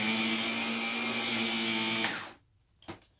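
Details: Old Shark vacuum before its motor assembly swap, switched on briefly: a steady even motor hum with a clean constant whine for two seconds before switching off; motor sounds good.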